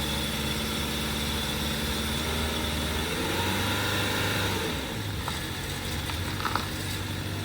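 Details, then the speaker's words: 2016 Subaru Crosstrek at a police impound auction, started without a jump: steady, even idle hum outdoors, no knocks or misses; normal idle. "Started right up, no jump needed."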